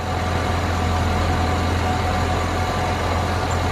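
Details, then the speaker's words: 2007 Chevy Suburban with a squeal from the front of the engine, heard at the idler/belt tensioner pulley while idling: steady hum with an even gritty whir and faint high tone, bearing has no grease; dry tensioner pulley bearing, glazed belt. "you can actually hear that it has no grease and is actually spinning but that's how I was able to diagnose back then"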